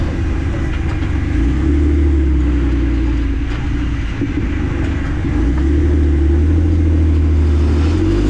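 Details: Jeep Wrangler JK driving: faint repeating clicks under a steady low rumble, from the rear driveshaft.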